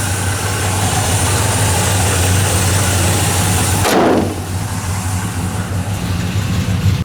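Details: Old Chevy pickup V8 with a 600 Quadrajet carburetor, warming up, started without pump shot; steady, fairly even idle with low rumble and no knocks or misses, just a touch lean on the new carb.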